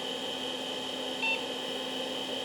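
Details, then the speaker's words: Acer 900 286 vintage PC with a bad hard drive, during POST: one short high beep late in startup over steady fan hiss and thin whine; drive light didn't come on, floppy drive suspected of not reading; cause unknown. "I get a beep and I didn't see the drive light come on so I don't think it's actually trying to read it"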